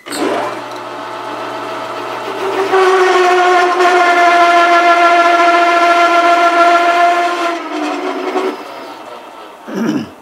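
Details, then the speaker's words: Loud, steady screeching tone with stacked overtones from a metal lathe parting/cut-off tool chattering, mainly caused by chuck overhang; slowing to 180 rpm greatly reduced the chatter. "a water chatter that is due to chuck overhang primarily"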